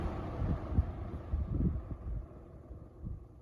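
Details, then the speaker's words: Restored, repainted early-1970s Eskimo 20124 fan switched off: soft, low airy whoosh fades smoothly with no rattle or scrape; a normal, healthy coast-down. "spin down is pretty good too it's not what i would expect but it's not as bad as some of my other leave my p2d3 no just like 10 seconds spin down this one's pretty good"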